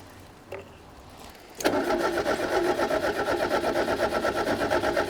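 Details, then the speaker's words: Fiat 125, 1.6L twin-cam, points ignition, after years sitting; fuel poured into the carby: starter turns the engine over evenly, about three beats a second, never firing; no spark. "Righto, we got no spark, so I'm gonna pop the distributor cap off and have a look to see what our points are doing."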